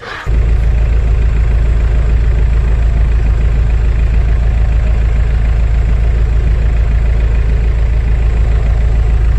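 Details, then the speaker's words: 2003 VW Passat TDI, AVB diesel engine, hard starting in the morning, also oil leaking from dipstick: heavy, slow, even cranking about eighty beats a minute that never catches; cranking too weak for a diesel, needing strong starter and battery. "هذه دورة راهي ما تخدمش موتور مازوت. موتور مازوت لازم يحب دمرار قوي وبطارية قوية."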